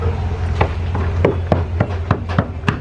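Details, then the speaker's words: Knocking around chipped areas of a Midnight Express center console yacht's fiberglass hull to check for soft spots or water damage. About ten dull taps, roughly three a second, each give a low, hollow thud. The owner notes that this spot sounds hollow. "Kind of knock in areas that have chips to see if there's like any soft spots in the fiberglass. It'll tell you, you'll feel it, you'll hear it."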